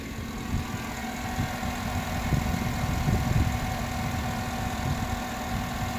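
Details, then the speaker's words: 2007-2014 Chevy Suburban 5.3 Vortec V8 showing zero or low oil pressure on gauge, oil full; steady, even idle with low smooth rumble, no ticks or knocks, suggesting faulty sensor rather than oil pump; normal idle. "that's what's strange is the engine sounds good it's not making any sounds of low oil"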